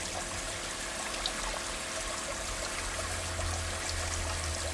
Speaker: I did the water testing. Hot and cold water works great. Nice and hot, nice and warm water.